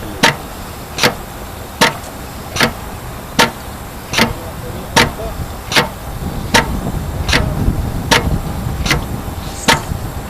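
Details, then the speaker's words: Compressor pump dialed down to recirculate during startup: sharp, evenly spaced clicks a little over once a second with quiet between, slow idling while stirring; normal. "Actually, the slower it clicks, and I'm dialing it down, you can hear it, okay?"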